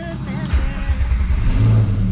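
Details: VR5 Savoy on its first drive, with exhaust still to be fixed: deep, steady engine rumble, smooth and even with no knocks or misses; running normally.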